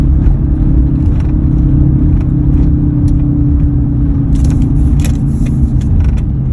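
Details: 2003 Ford F-150 while driving: steady low hum under the road rumble, even throughout; humming noise, cause unknown, could be a number of things.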